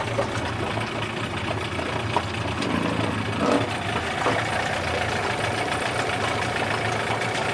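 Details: Yamaha 8C two-stroke outboard bought from Japan, after a rebuild with sandblasted starter housing, flywheel and head and a new lower bearing: even light idle with some splashing and handling clatter, no knock or grind; healthy.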